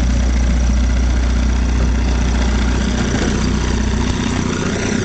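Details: 1956 Johnson Javelin 30HP RJE-18 electric-start two-stroke outboard on a 14' fiberglass runabout: steady, even low burble with some water noise, idling cleanly. Revived after 20–30 idle years with a new carb kit, a full ignition system and the carb leaned.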